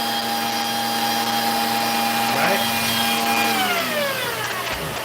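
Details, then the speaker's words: Vacuum with brand-new neck and a wand feeding a power head: steady motor whine holds, then pitch sags and drops away as the wand is pushed forward; a weak connection somewhere in the wand suspected, cause unconfirmed. "So somewhere in here, either one of these guys as we're pushing forward, somebody is pushing away. That's what I'm seeing."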